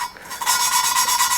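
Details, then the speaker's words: Lapping a valve on a 2JZ-GE VVTi head with Permatex 120-to-220 grinding compound, lifting the valve each rotation for fresh compound: gritty, even back-and-forth rasping that turns smoother in tone as the grit wears down; normal valve lapping. "and then you can actually hear the grit uh change tone and you can feel it and I just go until I don't have much grit left in that paste you'll be able to tell"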